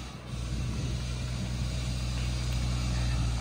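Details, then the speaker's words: Saab 93 after full service, new oil and replaced rocker cover seal: steady, quiet low idle, even throughout, with no valve tick-tick heard before the repair; super quiet, normal idle. "Some fully serviced for the cheap version rocker cover seal replaced. And no kidding, it's super quiet. You will see. You can't even hear tick tick like before."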